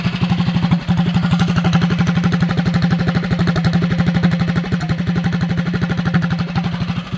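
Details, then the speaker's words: Mini bike small single-cylinder engine after bolt removal and stud replacement, torque converter not yet fitted, running at 1450 rpm: quick even putt-putt with no knocks or misses. Normal clean idle. "Running at 1450 right now."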